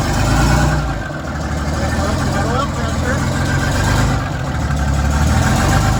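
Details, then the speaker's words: 1941 GM Silversides bus, Detroit Diesel 6-71, first start in many years: loud raw two-stroke diesel bark settling to steady even idle, no knocks; muffler seemingly not hooked up or straight pipe; oil pressure came right up to 40 psi cold. Normal running. "Wow. It runs. Yeah. I'm gonna say this muffler is not hooked up at all, or it's just a straight pipe."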